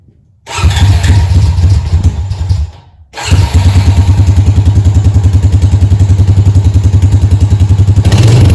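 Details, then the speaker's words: Honda Rancher ATV single-cylinder after carburetor cleaning following a no-start on old gas: fires, dies briefly, restarts and settles into an even thump of three to four beats a second; runs normally. "I dropped off the quad and they said it's running great they said that there's no more issues with it"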